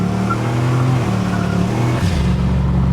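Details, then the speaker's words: El Camino with a fresh turbo under throttle: it pulls hard with a steady low drone but little turbo rush. Boost is stuck at 4 lb even after turning up the boost controller and reversing its lines. The owner suspects a boost leak or the Summit wastegate stuck open. "I wonder if he's got a boost leak somewhere cuz I don't even hear the wastegate opening really unless it's just open and stuck it's a summit brand one so it's probably what's wrong with it"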